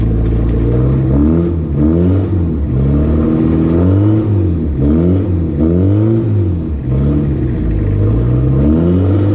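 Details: First start of B3000 truck after Cummins turbo diesel swap, jump-started: diesel idles evenly then rises and falls cleanly through several quick revs, no knocks or rattles; healthy.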